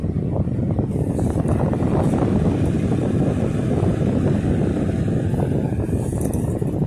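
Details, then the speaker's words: 1960s 16-inch Toastmaster box fan on medium speed, first start in nearly two years after storage; steady even air rush, no rattle, tick or wobble: normal running. "Very well balanced too, by the way. It's running very smoothly. No vibration at all."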